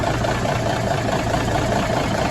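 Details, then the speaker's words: 1981 Peterbilt 359 diesel, first start after reportedly sitting a year, before a planned rebuild: smooth, even idle with a steady low clatter and no knocks or odd noises; engine running normally. "Sounds good. I don't hear any knocks. I don't hear any crazy mystery noises."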